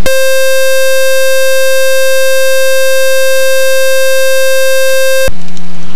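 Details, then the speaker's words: Experimental RV7 during taxi runs while switching to the right fuel tank. A loud, steady electronic buzzer from the Dynon holds about five seconds, then cuts off. The alarm keeps needing a manual reset and its cause is unknown. "Doesn't look like the tape is working because we actually have to constantly push that alarm reset. Not sure why it's giving me this."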